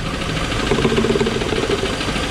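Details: 2001 Trans Am started after second oil change: steady idle with dull fast bottom-end knock, maybe slightly quieter but not much; cause suspected, not confirmed.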